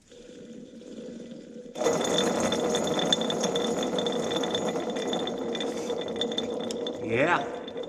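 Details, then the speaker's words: Caterpillar RD4 transmission, worn reverse gear removed and spun by hand beside a good one: loose irregular clinking and rattling, about three ticks a second, worn sloppy gear teeth judged about 90% of the transmission noise. "So, this here is the difference between a worn out, completely used up reverse gear and one that's in good shape."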